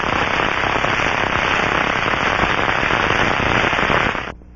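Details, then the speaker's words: Aircraft bearing checked by contact with an Ultraprobe 2000 ultrasound detector through headphones: dense, rapid crackling and popping instead of the smooth rushing sound of a good bearing, indicating bearing failure. "this is the rushing sound of a good bearing is heard through the ultr probe's headphones crackling sounds indicate bearing"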